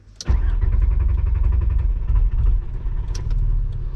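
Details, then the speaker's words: VR5 Savoy on its first drive, another restart attempt: fast cranking that almost catches but never runs; the fuel pump got no power because its fuse had blown. "nope that was close i told him before i get out let me try one more time it almost started"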